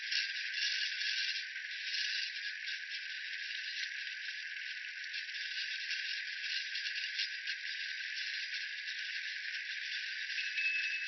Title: Juiced RC GRinding Noise